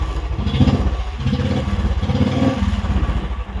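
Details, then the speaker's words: Royal Enfield Standard 350 that cut out while riding, now started in one kick after fixing a fuse fault; steady, even single-cylinder idle thump, about eight beats a second, no misfires, running properly. "ആയിട്ടുണ്ട് horn കാര്യങ്ങളെല്ലാം നല്ല രീതിക്ക് work ആവുന്നുണ്ട് അപ്പൊ അത് ഫ്യൂസിന്റെ problem ആയിരുന്നു"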